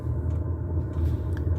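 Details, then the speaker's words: Diesel air heater warm-air unit, first start this year after the fuel pump ticked rapidly to prime: a steady low roar with an even fan whoosh as the fan turns and it burns, no knocks or surges; normal running. "Yeah, there you go, the fan's going. You hear a little roar as the like the turbine goes round."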